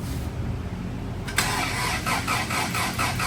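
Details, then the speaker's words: Turbo Integra, start after installing a built B18C bottom end and rebuilt head: brief crank, catches at about 1.3 seconds into an even, pulsing idle on all four cylinders with no skips. "Sounds like we got all four cylinders this time."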